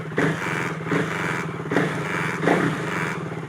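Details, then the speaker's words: KTM Duke 390 (2017–2020) after clearing the ride-by-wire fault P2127 that had left the throttle unresponsive: the engine picks up cleanly in quick repeated blips, about one a second, and drops back smoothly. The throttle now responds normally. "And then, meron na tayong then nag-response na yung throttle."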